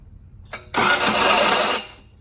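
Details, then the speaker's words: 1990 Honda Civic with a ZC DOHC engine swap (body at 360,000 miles), GM starter, battery possibly weak: a harsh one-second grinding burst as the starter engages; starter or flywheel ring gear suspected, not confirmed. "Ooh, it doesn't sound good, does it? That sounds like kind of starter flywheelish."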